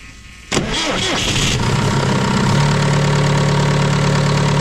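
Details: John Deere 6115M tractor diesel, after oil and fuel filter change and priming: cranks briefly, catches cleanly and settles into a steady, even idle without misses or knocks; normal start and idle.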